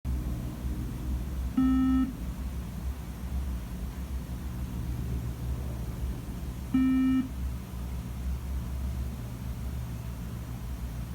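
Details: Late 2015 iMac that won't start up: a single low beep repeats about every five seconds with no boot; cause unknown.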